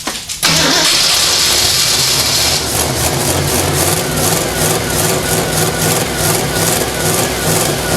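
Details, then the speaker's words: AMC 304 V8 freshly built for a 1979 AMC AMX, during break-in start attempt: long even cranking that never catches; no fuel pressure because the pickup in the not-full supply tank was sucking air. "i fired the engine twice didn't have fuel pressure because my pickup was sucking air"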